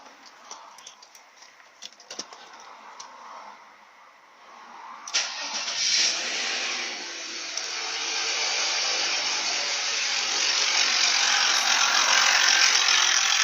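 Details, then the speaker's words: Engine at start-up catches with a quick metallic rattle about three to four a second over a rising hiss; timing chain knock suspected from a faulty tensioner, engine otherwise running evenly and revving well. "Это посторонний звук."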